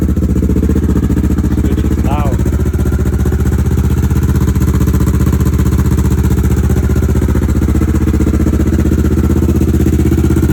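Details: 2011 Kawasaki Ninja 650R twin being warmed up at idle: steady, even twin-cylinder thump with no rattles or misses; healthy, though owner notes fluid dripping from a tube, not the engine bay.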